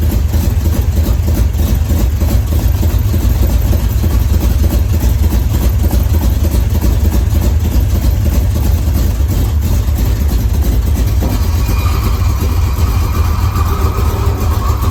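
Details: 1981 Chevrolet Camaro Z28 V8 after 15 years dormant, restored with new pushrods and fresh oil, throttle pedal hooked up: deep, steady rumble with an even low firing beat, no knocks, misses or ticks; healthy.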